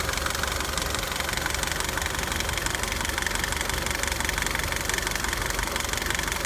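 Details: 2009 Nissan Altima at idle: fast, loud continuous clicking over the petrol engine hum, coming from the passenger side of the engine; cause unknown.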